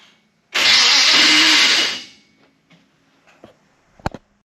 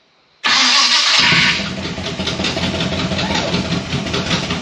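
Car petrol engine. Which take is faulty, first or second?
first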